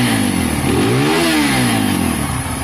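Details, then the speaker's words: Benelli/Keeway 125cc motorcycle after carburettor clean, tune and full service of a non-runner: small single revs up cleanly and drops back smoothly, even pitch, no misses or spitting; healthy revving, carb running right. "you can hear that in the engine it's come out really nice it's revving strong"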